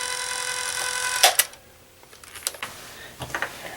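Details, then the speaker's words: 1987 Fisher-Price PXL 2000 toy camcorder after repair, with batteries, recording: quick high-pitched motor whir for a second then button clicks; tape drive runs very fast, which is its normal speed. "ike it's running really fast but that's supposed to be the speed play it like plays the way this works is it really has to record really fast"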